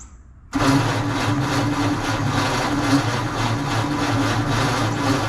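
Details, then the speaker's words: 1948 Ford F5 truck, dormant nearly 30 years, cranked with starting fluid while the distributor timing is being adjusted and the battery charges: the starter churns steadily but never catches; it cranks without starting, and owner suspects the battery is weak. "doesn't sound like it's turning as quick as it was before I wonder if my battery is still not oh no I got got the charger on right"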